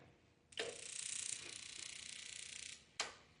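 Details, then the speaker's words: Heatstar (Mr. Heater) propane radiant shop heater, temporary hookup, second ignition attempt after suspected air in line: rapid igniter spark crackle for about two seconds, then a click as burner lights normally. "oh heard it click something changed oh yeah I just saw the flame go across it is lit"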